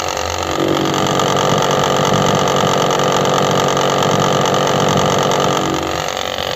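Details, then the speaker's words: Mitsubishi Outlander engine at idle with accessory belt removed: loud steady rattling chatter from the front of the engine, coming from inside behind the covers; oil leak and very loose belt found, tensioner suspected, cause not yet confirmed. "Y como pudimos escuchar, el sonido viene exactamente de adentro, así es que tenemos que desarmar todas las tapas."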